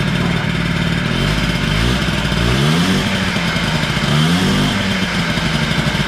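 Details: Honda Spree 50cc two-stroke scooter starts easily and idles with a thin buzz, rising twice on quick revs then dropping back; low compression reading, owner fears blown motor, premix recently added to tank causing slight smoke; lack of power.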